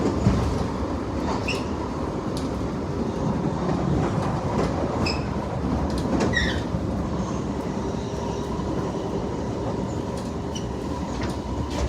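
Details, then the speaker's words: Front rail car just starting to roll slowly: rumble, clicks and short high squeals from a noisy bad wheel on that car. "bad wheel, you can hear it."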